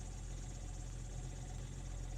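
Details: BMW X5 (E53) with a faulty start switch, starting for the first time in about three weeks and likely without an oil change in about five years; steady low idle with a faint uneven clatter, cause unclear.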